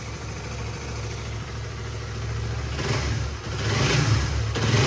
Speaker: Jadi begitulah suara dari segi bunyi motor menggunakan oli motor power ini. Dia bunyinya langsamnya bagus. Itu yang pertama bunyinya ya normal lah. Enggak ada bunyi kasar, enggak ada bunyi apa.